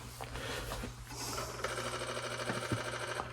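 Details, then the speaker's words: Apple IIc Plus floppy drive booting a disk: fast uneven clicking and whirring as the head steps and reads, then it stalls and just stays there, boot stall. "What do we have here? Nothing. No. Okay, I don't know what happened there. It just stays there."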